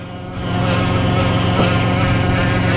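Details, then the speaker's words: 2012 Dodge Grand Caravan, 62TE transmission, about 300k miles, codes P1790 and P0944, won't pull: steady whine over the running van, constant at this speed; transmission pump failure suspected. "So she said it started whining. I can almost guarantee you the pump has failed and it has a P0944."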